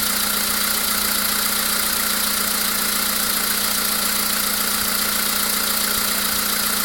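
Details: VW Polo Sedan with CFNA engine at idle: light, fairly regular tapping around two to three per second over the steady engine; an unexplained engine knock at idle.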